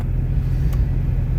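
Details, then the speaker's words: Jeep Grand Cherokee 4.0 with catalytic converter cut off, restarted after slush froze in the upper radiator hose and two gallons of antifreeze were added: loud, open, slightly uneven idle near 900 rpm; rough idle owner blames on missing cat. "but I mean with no cat yeah it runs a little wonky because of no cat but I mean look we're idling at what's that 900"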